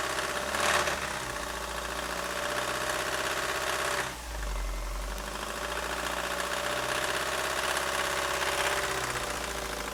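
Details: 1999 Ford Focus 1.6i Zetec petrol engine at idle: harsh, rapid diesel-like clatter over a steady idle, even and unchanging throughout; engine knocking, source unknown.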